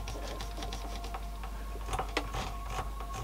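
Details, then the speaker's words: 1985 Yamaha A420 amplifier, serviced for a missing channel, heard on quiet or no input: irregular dry crackles and scratchy clicks as the knob turns. The balance potentiometer is dirty or worn and still scratchy after cleaning. "So sometimes you will hear the scratchiness. Just on a quiet input or no input. So balance is a little bit out."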